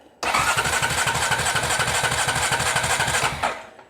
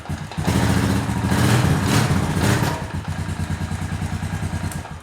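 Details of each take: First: Honda TRX350TE Rancher ATV, starter pressed during voltage probing: even, quick churning for about three seconds with no firing at all; cranks freely but no spark at the plug. Crank, no start. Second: Honda TRX350TE Rancher ATV single-cylinder, first run after fixing a no-spark caused by a blown fuse from the carb heater, no fuel tank attached: even putter to steady idle, no misses, knocks or smoke; sounds healthy.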